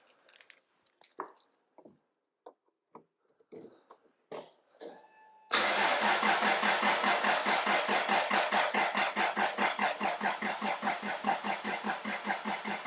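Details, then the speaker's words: Toyota JZX100 single-turbo 1JZ, unstarted for months, after oil cooler install: fuel pump relay removed, steady even starter churn about two pulses a second with no firing, cranking to build oil pressure before first start. "going to take that relay out and then I'm going to crank the car and that should allow it to build oil pressure we'll put the cap back on without firing it"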